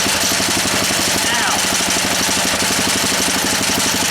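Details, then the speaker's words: Honda E300 generator engine, hard to start, awaiting a new spark plug: fast, even beat from the small single-cylinder holding steady speed with no misses or knocks; it runs. "but we've got an engine that works you see and this is the big deal this year as you know"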